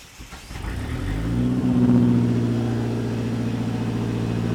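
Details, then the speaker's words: DSM car, after troubleshooting a no-start (ignition, spark plugs, self-made wiring harness): cranks and catches quickly, revs once, then settles into an even, steady idle with no knocks or misses. Running healthy. "so with that being said we're going to give her a crank see how she sounds and uh and go from there"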